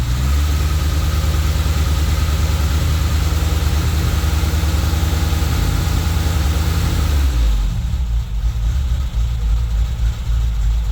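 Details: Toyota Tercel wagon with swapped 4A engine and carburettor, just after fitting a Schneider Racing regrind cam with valve springs: idle has an uneven loping chop with beats rising and falling steadily, typical of a performance cam, not a fault.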